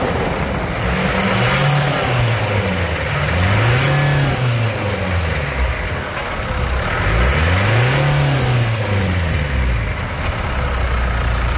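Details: Mitsubishi Triton 2.4 4N15 diesel at 50,000 km, after a 10,000 km oil-change service, catches cleanly, revs rise and fall smoothly several times and settle, with no knocks, rattles or misses; healthy, normal running.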